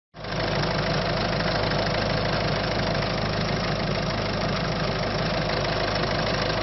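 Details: Citroën C5 1.6 HDi diesel with loss of power: steady idle with a rough, gritty clatter over a low drone; abnormal engine noise, cause not determined.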